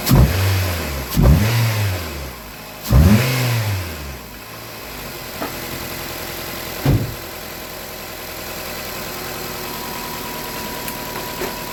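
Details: Nissan Cube with P0300 misfire traced to a bad cylinder 3 coil: engine snaps up cleanly three times on throttle and settles to a steady, even idle with no stumble.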